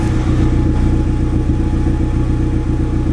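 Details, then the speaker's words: Honda Civic EG hatch with an LS B18B1 engine, turbo, warm, after a valve adjustment: an even, steady idle with no stumbles; the misfires heard before the adjustment are gone. "Even the idle sounds better. I used to get a bunch of misfires, and I think after this valve adjustment, it's like perfect."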